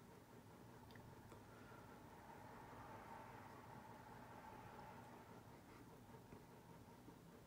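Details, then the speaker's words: NuTone Hug-The-Ceiling 52-inch white hugger ceiling fan with spotlight kit, on low speed: a faint, steady whir with a soft hum and no ticking, rubbing or wobble; normal quiet running, helped by the four-bolt mount. "i say it is a pretty quiet fan on the low speed a lot of huggers tend to be noisy on a low speed i mean the way this one mounts where it has like the four bolts two on each side definitely helps keeping the fan quiet"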